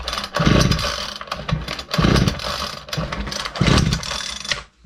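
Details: Ryobi LT2 two-stroke petrol trimmer, with carburetor screws adjusted: short sputtering bursts on each pull that die away every time; fires but won't keep running, so the carburetor comes off next.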